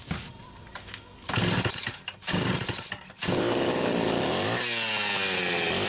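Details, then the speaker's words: Homelite Super XL Automatic chainsaw, quick customer pick-up with one check valve replaced and new O-ring (another check valve still suspect): a few pull-start bursts, then catches and holds a strong, steady two-stroke buzz that climbs cleanly; runs good, automatic oiler works. "so runs good automatic oiler works good"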